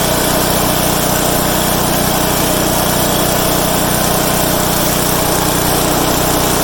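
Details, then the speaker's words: Craftsman/Troy-Bilt/MTD wood chipper, already started earlier, after new blades fitted: loud small engine holding steady speed with even buzz, no bogging or knocking under load; running healthy. "I'll tell you one thing, it is a loud son of a gun, man. I should have brought my headphones and earphones and ear protection."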